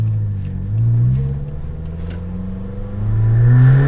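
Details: Suzuki Jimny with a holed rear silencer (back box), heard on a test drive: a deep droning boom that swells as revs rise and fall, far louder than stock. Finding: blown exhaust rear silencer.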